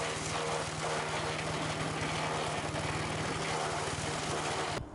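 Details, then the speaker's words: Sears Craftsman 9HP chipper/shredder, over 30 years old and unused 5–6 years, just after its leaking carburetor was fixed and bench-tested. Started on choke at half throttle; a steady buzz with even firing and no surging or sputter. Carb no longer leaks; may need fine-tuning. "Well, I'd say that was a success. We got the carb issue fixed. It's not leaking anymore, and it runs great."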